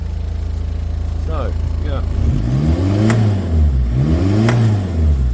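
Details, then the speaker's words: Talbot Express van converted to a 2.0 HDI Peugeot DW10RHY turbo diesel (20psi boost, R70 BMW fuel pump, MR2 intercooler), stationary: even idle then clean throttle blips gaining boost quickly, no knocks or rattles; normal turbo diesel revving. "you see it gaining boost quickly, even though it's not running on the road."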